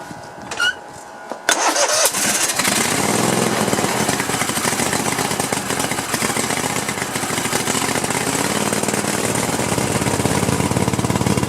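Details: Cub Cadet LT1050 with a 25/26 hp Kohler twin that is burning oil and smoking, cranked with the valve cover off; it has spark. Brief crank, then ragged, irregular firing with spitting and oil coming from the carburetor. Rough running.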